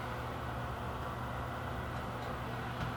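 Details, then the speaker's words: Bathroom exhaust fan after fitting a replacement motor (NuTone BP27 listed), tested after reinstalling: smooth, constant low hum and airflow hiss with no rattle, scrape or wobble; normal running. "now plug our fan in reach down give it a test oh sounds like we are good to go"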